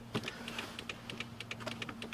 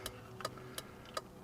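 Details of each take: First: 2004 Toyota Corolla after fitting front LED turn signal bulbs: rapid light clicking, about three to four ticks a second, from the flasher under the dash. This is hyperflash, as the stock flasher reads the low LED load as a burned-out bulb. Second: 2004 Toyota Corolla with LED turn signals, after replacing the flasher with an LED flasher: crisp, even ticks about every 0.37 seconds at a steady slow rate, no hyperflash; the flasher is working normally.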